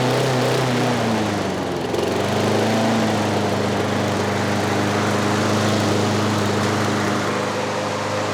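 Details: Trash-picked Craftsman 6.5 HP 21-inch push mower, steady busy drone whose pitch wanders and never settles; governor arm stuck at the carburetor, not controlling rpm (later freed with PB Blaster).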